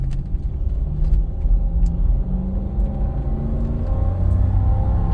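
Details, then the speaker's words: 2005 Lexus LX470 (100 series), 196k miles, timing belt current, AHC delete with OME rear springs and Bilstein 5100s, driving and turning around: steady low road rumble, no whine, hum or clicking; no drivetrain or wheel bearing noise. "normal thing here I'm just going to spin it around let you guys hear it uh we don't have any uh drivetrain noise or wheel bearing noise or anything like that"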